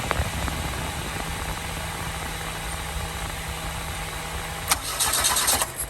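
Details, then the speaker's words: Toyota Glanza parked since 2021; steady cranking drone for several seconds then brief rougher burst that never catches; no fuel at cracked line, fuel later spurted under pressure, owner suspects injectors; cranks but won't start. "no fuel is coming up from there so I now have the line cck I'm going see if any F come up from there hopefully"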